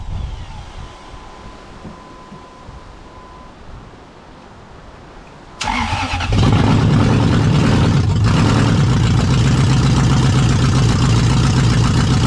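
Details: Jeep KJ fitted with a Lexus UZFE V8, started through a push-start button kit after the SKIM immobilizer was deleted. Brief crank, then it settles into a strong, even, steady idle with no misses or knocks.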